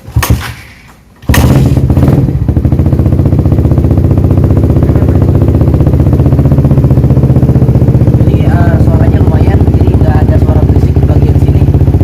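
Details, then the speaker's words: Suzuki Satria FU 150 with an Akrapovic Trioval Carbon exhaust, after the owner fixed a rough noise himself. A quick start settles into a steady, even single-cylinder idle with a firm low exhaust beat and no rattles: normal idle. "Ya, jadi nggak ada bunyi-bunyi berisik. Nggak enak banget kan, udah keren-keren naik motor tiba-tiba ada bunyi-bunyi ganggu."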